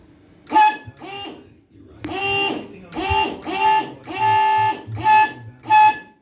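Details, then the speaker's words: Truck horn test, shortest of three horns: short, uneven toots whose pitch bends and wavers instead of a clean blast; horn not working properly, cause not confirmed. "so yeah that one's not really working right so we're going to leave that one out"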